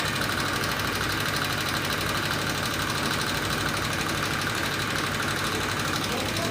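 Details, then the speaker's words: 2018 Honda Vario 125 scooter idling with rough engine noise: dry light ticking over busy cylinder-head clatter; likely cause is loose valve clearance (valve adjustment), a minor fix. "apabila motor teman-teman mengalami keluhan yang sama motornya terasa suaranya gelitik-gelitik kali-kali nanti beruntung motor teman-teman hanya masalah sepele setelan klepnya kendor"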